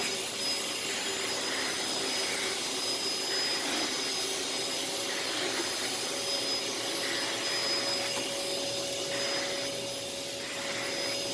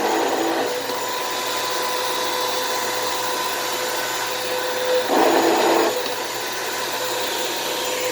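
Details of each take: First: Thrift-store Samuel vacuum cleaner (bought for five dollars) running with hose and floor nozzle: even, smooth motor hiss with steady high tone, no rattles or surging; noticeably quiet, good suction, slight smell, filters need cleaning; normal running. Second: Thrift store vacuum: steady motor whine with a gritty, uneven edge and a brief louder surge; motor rough on wind-down, less worn than expected, brushroll also sounds bad.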